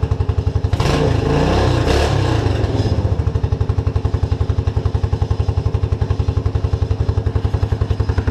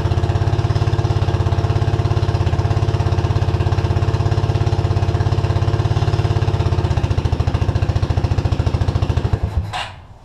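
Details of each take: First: Suzuki King Quad 300 ATV after a fuel pump fix, still warm from running 30 minutes earlier: after a couple of pulls it fires and settles into an even single-cylinder thump with apparently no fuel starvation. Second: Suzuki King Quad 300 single-cylinder carbureted ATV, tank lower than carb: it thumps steadily at idle on float-bowl fuel, then falters and dies as the bowl runs dry; fuel starvation.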